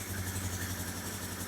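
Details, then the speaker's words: 1972 Honda CL450 twin on its first cold start after a carburetor rebuild, new Dyna coils and an electronic ignition install. It runs smooth and even with no knocks, misses or rattles, and the idle comes down quickly: healthy cold idle. "And actually for a cold bike motor, it sounds pretty good right now. And the idle comes down nice and quick."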